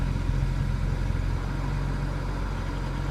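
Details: 2008 BMW E90 335xi xDrive, stock twin-turbo N54, new plugs, coils and HPFP, injectors cleaned; cold start after overnight sit, uneven low chuff at idle, irregular beats about three to four a second; intermittent misfire, cause not found.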